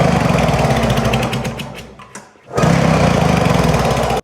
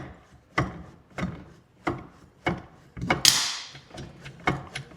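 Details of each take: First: Arctic Cat Jag snowmobile engine cranking with a fast, even, strong chuff at three to four beats a second during a compression check; this engine read almost 150, versus about 70 on the non-starting sled. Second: Arctic Cat two-stroke snowmobile that sat outside almost 10 years, weather-seized: stiff rasping pull-cord turnovers about every half second with no firing as the engine is worked loose with PB Blaster in the cylinders.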